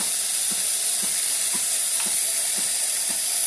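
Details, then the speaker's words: Home espresso machine steam wand building pressure before frothing half and half: steady loud steam hiss with a soft pump thump about twice a second underneath; normal purge. "now you'll see the uh steam start out and I like to let it get a good full head of steam before I start to froth it"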